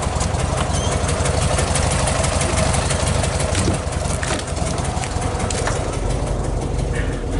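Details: 1969 VW Beetle 1500cc air-cooled flat-four idling after a cold start with a bit of choke; even, steady low putter with a brisk regular beat, no knocks or misses; normal healthy idle.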